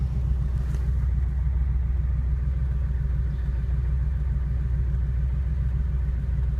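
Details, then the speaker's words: Porsche engine warm after about half an hour of driving: steady low rumble with a faint, loosely regular tapping at idle speed; top-end tap of unknown cause. "Tapping sound."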